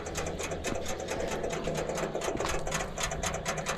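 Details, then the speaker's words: Military fuel-trailer pump engine started after preheating: fast regular light ticking, about six clicks a second, over the quietly running unit; owner unsure of the source, guessing solenoids activating. "it's like solenoids or something activating i'm not sure it's these solenoids"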